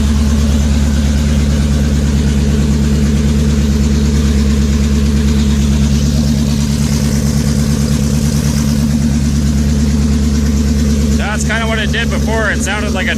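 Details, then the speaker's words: W8 engine at first start after head gasket repair with VR6 head bolts, cam phasers slapping until oil pressure builds; loud lumpy uneven idle about three beats a second, expected to run rough for the first few minutes. "I remember uh with the other W8 that I had apart um it ran pretty bad for the first few minutes when I fired it up so I'm expecting that here"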